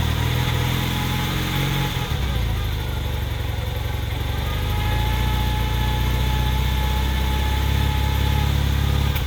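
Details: 1981 Honda CM400T twin after top-end rebuild: idle beat uneven with occasional dropped pulses, stumble continues when revved; slight misfire, cause undetermined.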